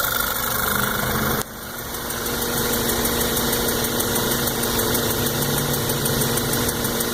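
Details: New 2014 VW GTI, 1,000 miles: steady idle with a light quick tick roughly three per second, from the lower part of the engine and increasing with RPM; cause not pinned down.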